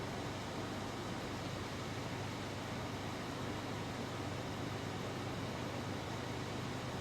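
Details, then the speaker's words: Honda Amaze CVT at idle with the bonnet open and AC cycling on and off, after a fix for noise and rpm fluctuation: quiet, even idle with a steady fan-like hush, no whine, rattle or surging. RPM now stable, the earlier loud noise gone. "देखो AC on भी हो रहा है of भी हो रहा है लेकिन आवाज नहीं है फ्लक्ट एशन इतनी नहीं है पहले बहुत जोर से आवाज आती थी और मीटर बहुत ज्यादा फ्लक्ट करता था"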